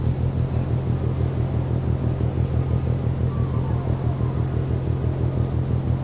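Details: Ship MAERSK TAIKUNG at Port of Genoa Pra', 1 a.m., recorded from over 1 km away: deep, steady pounding about twice a second over a low distant rumble, evenly spaced like a drum; rhythmic banging, source unknown.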